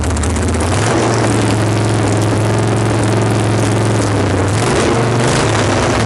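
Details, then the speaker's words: Fresh-build Harley generator Shovelhead stroker with 5-speed, warm, just started: lumpy, slightly uneven loping V-twin idle; needs a little tuning and throttle cable adjustment, exact cause not confirmed. "this is a fresh build al just started this it'll be running perfectly tonight because it'll be at the show tomorrow i need to adjust the throttle cable a little bit"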